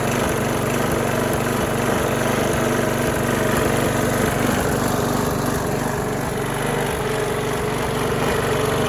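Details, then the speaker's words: Trash-find Craftsman lawn mower after spring adjustment: runs steadily with a rhythmic wobble about three or four beats a second; something rotating sounds out of balance, flywheel suspected, unconfirmed. "let's try and give it another start what you guys listen to it it sounds like something's out of balance possibly a flywheel"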